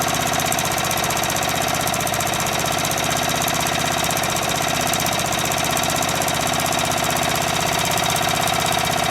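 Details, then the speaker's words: Murray Select lawn tractor single-cylinder engine on a chilly day, after muffler weld repair, idling: fast, even patter at steady speed; sounds fine, though still smoking a lot (owner wonders if pistons are bad); charging at 13 volts. "you know what I'm not gonna mess with it sounds great right I was just about to mess with it I'm like why it's fine"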